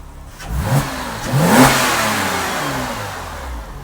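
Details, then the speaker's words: Porsche Cayman S 987 Gen1 salvage rebuild, first run after coolant refill: quick throttle blips then a smooth, steady idle at 80° with no misses, knocks or airlock overheating; normal idle. "and it just sounds so nice on idol smooth as a nut so I'm really happy with that"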